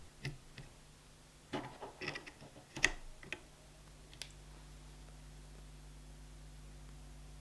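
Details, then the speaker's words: Stepper motor on a TMC2208 driver using 256 microsteps, after swapping from the noisier A4988: only a faint steady low hum under room noise after some handling clicks, nearly silent even as the speed changes. "That's obviously a significant improvement, and it operates nearly silently when you change the speed as well."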